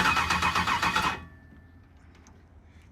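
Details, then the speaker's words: 1964 Chevrolet El Camino with LS engine swap, first start attempt, fuel not hooked up, running on starter fluid only: starter churns with brief catches then dies; crank no start, fires briefly on starter fluid. "right what i'm gonna do is i'm gonna give it some more starter fluid i'm gonna give it some starter fluid and i'm gonna uh let me figure out something real quick i don't have the fuel hooked up"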